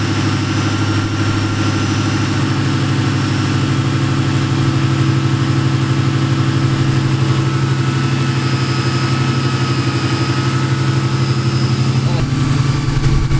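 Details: Nitrous Ford Mustang that developed a new engine noise, after fitting a new idler pulley and tensioner: steady, lumpy-cammed idle with an even beat and no squeal, chirp or rattle from the belt side; accessory drive now sounds healthy.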